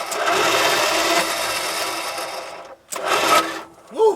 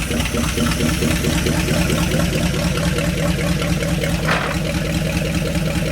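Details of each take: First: Dodge Power Wagon 200 Dude V8 plow truck, parked 40 years, during solenoid and starter troubleshooting; a high free-spinning whir in two bursts with no cranking beat. The starter spins without engaging the engine. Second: 1970 Dodge Power Wagon 200 Dude V8 plow truck, parked 40 years, first runs after revival; steady, even idle with a regular firing beat, no knocking. Owner thinks the point gap may be too wide, making it run a little funny.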